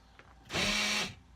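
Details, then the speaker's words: 2003 Ford Windstar SEL power sliding door lock: half-second motor whir with steady buzz but no latching clunk; lock actuator runs without engaging, gears suspected stripped or come apart, unconfirmed. "that lock seems to be disengaged I'm guessing the actuator the gears are stripped or have come apart somehow"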